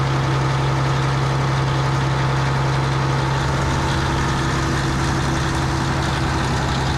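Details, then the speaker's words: Diesel scraper at about 1,300 rpm with the A/C on, refrigerant just topped up: a steady drone with a low compressor hum that cuts out after about three seconds. It is short cycling and pulls the suction side to 10 psi; the owner suspects the expansion valve. "so okay she's blown cold air but it's short cycling it's pulling the suction side down to 10 which tells me there's something wrong with the uh expansion valve"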